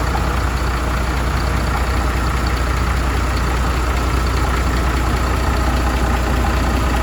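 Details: MAN TGM truck, D0836 LFL 63 diesel, after engine rebuild for smoking and misfiring, with bench-tested replacement injectors: steady, even idle with smooth low rumble, no misses or knocks; normal idle.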